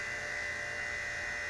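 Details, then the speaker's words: R22 air conditioning system with a replaced R410A TXV, restarting after vacuum: steady droning hum with a harsh high whine, sounding rough; readings 63 psi suction, 35.6 coil, 17° superheat, 15° subcool, 152 psi; cause not yet known. "sounds like crap so we got 63 PSI 35.6 Dee coil 17° of super heat 15° of subcool 152 PSI"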